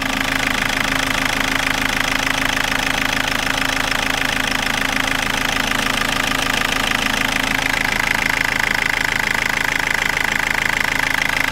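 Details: 2004 Toyota Corolla 2.0 D4-D diesel, warm idle, after OBD light reset: fast, very even ticking clatter roughly three per second over the engine, gone above about 1500 rpm; injectors seem quiet, cause unclear.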